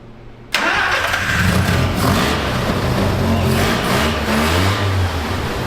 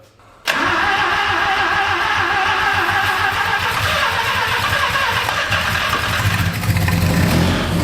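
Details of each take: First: 1974 Mazda Rotary Pickup, vacuum leak likely still present: catches right away, revs and runs fairly evenly and smoothly, suggesting both rotors firing. Normal start and running. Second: 1974 Mazda Rotary Pickup with new Holley carb after replacing O-rings and needle and seats, first start: catches then runs ragged and uneven as it revs; owner suspects insufficient accelerator pump shot. Stumble after start.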